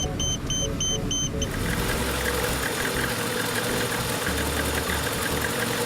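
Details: VAZ 21099 (Lada) at a steady, even idle after a few sharp chirps, with no knocks or misses. It restarted after a no-start caused by a non-working fuel pump, traced to old alarm wiring; the Bosch M1.5.4 ECU car now runs normally.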